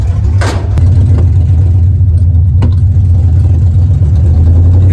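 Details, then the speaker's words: Carbureted car with fuel pressure problems, despite a new fuel pump, new fuel filter and clean carburetor, gives a deep rough drone with scattered pops loud enough to pass for gunshots. Owner suspects a dirty fuel tank. Engine popping, cause unconfirmed. "he turned around he thought it was gunshots we're in Oakland so but but he smiled once he saw it was a car"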